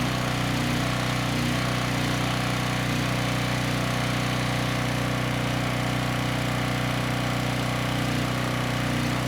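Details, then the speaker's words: 5000 W Husky generator with a 9 hp Briggs & Stratton engine, revived after seizing: steady, even hum at one constant speed with no knocks or surging; no load about 61.5 Hz, 122–123 V, starts easily. "no issues getting the machine started it sounds good was able to turn the choke off right away and the no load speeds pretty good at around 61 1/2 Hertz"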